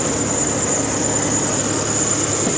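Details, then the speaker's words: 2020 Ford Expedition 3.5 twin turbo at 224,843 miles, at a rough cold idle with a cam phaser problem and cold-start rattle: a loud, steady, piercing high squeal from a slipping accessory belt. "And it's got some squealy noises. The belt squeal. Oh, this thing sounds terrible. Like everything's making noises."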